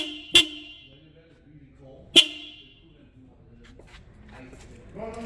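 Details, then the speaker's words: Honda Accord after replacing the stock horn with a plug-and-play Honda Civic dual horn: two short, bright blasts with a clear, strong tone, so the horn is working properly. "that sounds a lot better uh than having you know the Honda Odyssey Family Van Horn in the car"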